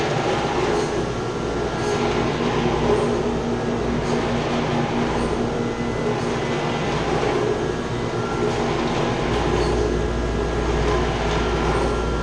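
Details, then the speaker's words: Chiller chilled-water pump shaking badly, with the copper lines shaking: loud steady rushing roar with a rough churning hum; the strainer needs cleaning out and there is a leak, and the chiller and pump will be shut down to clean it. "Say it's shaking bad in the pump. Making a lot of noise. You see it's shaking."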